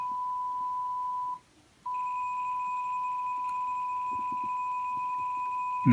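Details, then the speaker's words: Mach 3 arcade game with Dexter laserdisc replacement board, test mode after adjusting R39: steady clean beep near one kilohertz with one short dropout. Normal, stable decoder test tone, typical for these boards. "that's really as good as it gets so that's that I would consider normal behavior that's that's typical for these boards and works very well in the game"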